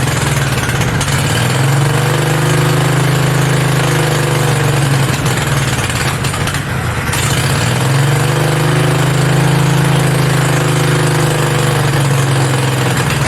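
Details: Mini bike V-twin, a generator engine, first start with belt off and throttle knocked up; fast, steady drone that never settles to slow idle; idling way too high, fix is the idle screw underneath needing a screwdriver.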